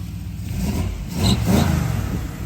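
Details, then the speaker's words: 1978 Chevy 3/4 ton V8 with new transmission, exhaust and Summit Racing 650 four-barrel double pumper carburetor, first fire-up: catches at once and swells into a short clean rev before easing back; normal start, engine healthy. "that fired right up give it a small round awesome"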